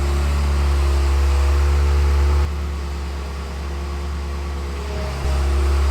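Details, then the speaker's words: Ferrari F355 V8 after a top-end rebuild, first run reinstalled in the car while warming up. Deep, smooth, steady idle with an even beat and no knocks or misses. The engine sounds healthy. "And like I said, we're going to let the car run, let it build some temperature, and make sure, you know, all our fluids are set, make sure we don't have any leaks, and it's running nice. Sounds good."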